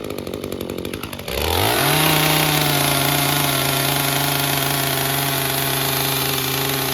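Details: Echo CS-355 chainsaw, second unit, won't rev to wide open throttle: fires and climbs to a high steady scream but holds flat, never clearing out; sounds like bogging at full throttle, cause not confirmed.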